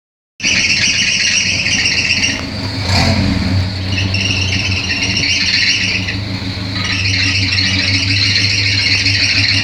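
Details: Chevrolet Opala coupe engine running: loud, steady high-pitched squeal over the engine throughout, barely changing; accessory belt squeal from a slipping belt, belt to be replaced.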